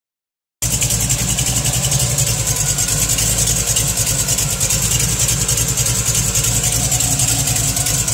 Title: TVR chimaera 400 rover v8 ticking noise